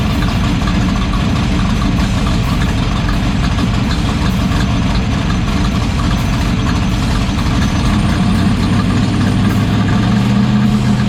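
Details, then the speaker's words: Aluminum-rod AMC 401 V8 in 1972 AMC Javelin race car on a street drive after header bolts were tightened, checked with a stethoscope at idle: deep, lumpy V8 idle holding a steady beat with no ticking or knocking; sounds healthy. "so I'm going to fire it up and he's going to check for noises that are not supposed to be there myoll so that means it sounds good"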